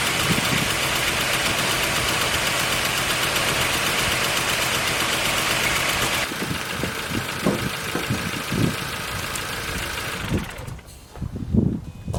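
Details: Mk4 Golf after engine rebuild, jump-started: engine catches and settles into a steady, even idle with no knocking or hunting; normal idle on fresh rebuild.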